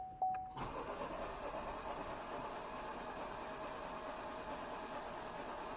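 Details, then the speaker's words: 2020 Chevy Malibu 1.5 Turbo, first start after vacuum pump replacement and battery reconnection: chime, extended cranking reluctant to fire, then it catches into a quiet steady idle; slow to start. "no doesn't want to stop it doesn't want to start there we go there we go there we go okay it's it feels bad"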